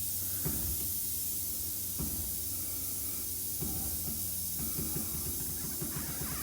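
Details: 1969 VW Bug, new air shock set to 90 PSI and still too high, slowly bled down: steady hiss of escaping air with a few faint clicks; normal deflation, nothing wrong.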